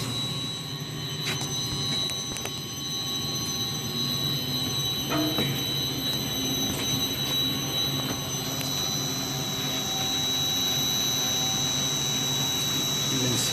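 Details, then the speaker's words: Multistack chiller cooling tower fan after strainers pulled and condenser back-flushed: even airy roar with steady whistling tones building slowly like a plane spooling up; normal run-up. "revving up a little by little. Sounds like a plane."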